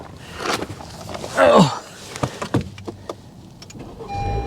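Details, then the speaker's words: Hail-damaged 2021 Honda Civic Sport at salvage auction, about 3,000 miles, started on a jump pack after an earlier attempt; brief crank, catches immediately, settles into even idle. Normal start. "all right here we go she should fire right up for us this time"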